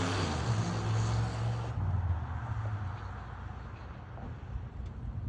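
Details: 1992 Buick Roadmaster V8 with no catalytic converters, loud deep burble from open exhaust idling evenly with no skips or stumbles; normal smooth idle, no misfire.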